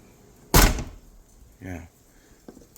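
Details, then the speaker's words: Tailgate latch slam on a 1996-2004 Nissan R50 Pathfinder/Infiniti QX4 after replacing the worn latch that rattled and intermittently registered as ajar; single solid slam with a clean catch, no rattle or double bounce, so it now latches firmly. "Yeah, definitely. Definitely close. Yeah, that sounds a lot more solid now."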